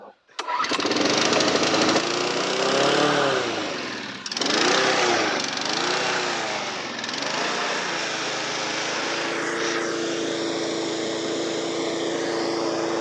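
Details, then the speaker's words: Mower bought as a non-runner, started on fresh fuel: fires after a short pull, then holds a steady, even buzzing run with no misses; healthy normal running. "oh yeah it's a runner we've had a bit of a touch really all these mowers with a bit of fresh fuel in them they've actually all gone on to start up"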